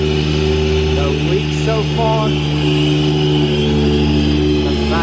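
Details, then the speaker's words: Supra with EFI, started after powder-coat work and checked for leaks: steady deep idle with a slightly uneven cam lope and no ticking or hissing leaks, a healthy cammed engine. "I think we're good to go, boys. Listen to that cam low."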